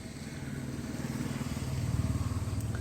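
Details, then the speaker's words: Hyundai EON petrol engine after the idle air control unit (fault P0508) was serviced and refitted: low, steady, even idle at 860 rpm target (was 1100), no vibrations, check engine light off, no fault codes. "ரொம்ப ஸ்மூத்தாக இருக்குது, எந்த விதமாக vibrations இல்லை."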